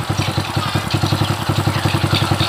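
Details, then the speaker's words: Honda Supra 100 motorcycle after replacing the noisy cam chain (rantai keteng); even single-cylinder idle at about nine firm pulses a second, no top-end rattle or ticking — normal idle. "motornya sudah halus jangan dimatikan dulu masih di ini motornya sudah halus ya"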